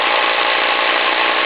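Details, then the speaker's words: Single-cylinder live-steam engine (vertical fire-tube boiler, Diana launch) idling through a home-built forward/neutral/reverse transmission using nitro-truck gears: steady harsh gravelly gear whirr, no knocks or catches; sounds rough but normal, stout gears expected to hold up. "even though it sounds like those gears are flashing terribly there's some heck for stout gears in this transmission that was designed for a nitro truck so i think that's going to work out okay"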